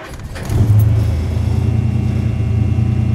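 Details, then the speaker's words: Hudson Hornet, Twin H-Power carbs, winter cold start in neutral, automatic choke set with two pedal pumps: brief crank, catches quickly into steady even low rumble; normal cold start. "and she's running that's about it uh I usually let her warm up for Just 2 minutes"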